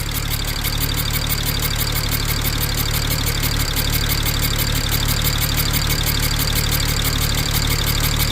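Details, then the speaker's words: 2007 BMW 335xi revived from non-running, with coil packs replaced by used OEM units. A slightly uneven idle with a fast, steady tick about three times a second; the engine rocks and the injectors seem fine. Misfire, with an exhaust leak possible; source unclear. "So, I got it running, but what is that sound I'm hearing? Almost kind of sounds like an exhaust leak, maybe? Definitely a misfire, though."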